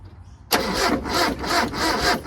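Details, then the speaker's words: Mitsubishi Pajero 4G54 with Weber carburettor, started with rocker cover refitted after compression test: fires and holds a fast idle surging about twice a second that never drops; throttle stuck open, idle too high; timing later found miles out with chain tension lost. "It's all up a bit too high. Too high. The throttle stuck."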